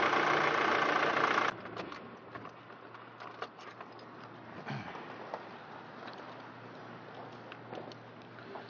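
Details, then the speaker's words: 2006 Nissan X-Trail 2.2-litre diesel before adding an oil additive; loud start burst settling into a quiet, slightly uneven, shaky idle, which the owner calls normal for wear and tear. "Okay, so now you can hear how the motor runs. It's a little bit shaky, but it's normal because it's got wear and tear."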